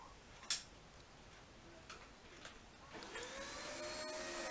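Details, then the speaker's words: Dyson DC24 upright vacuum spinning up after a few knocks, a thin steady whistle over the airflow that lasts a few seconds then cuts out; filter possibly needs new seals, suspected, not confirmed. "that noise you can hear a whistling noise that's that's the filter possibly needs some new seals so that's what that whistling is"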